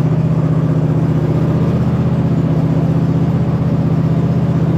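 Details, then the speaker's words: 2007 White Outdoors (MTD) CT 54 zero-turn mower, Briggs engine, sat 3-4 years, started on jumper pack and choke, moving under hydrostatic drive: steady drone, even low hum, no whine, grinding or knocking from the hydros; normal drive. "we are moving I don't hear anything in the hydros yet as far as any kind of abnormal noises"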